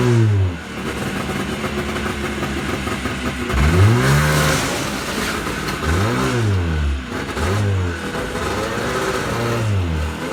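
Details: Yamaha Enticer 300 two-stroke snowmobile, year unknown, 120 psi compression per side, reportedly ran last winter; start-up after revival revs up and down in repeated blips, picking up cleanly with no misfire or knock; normal running and revving.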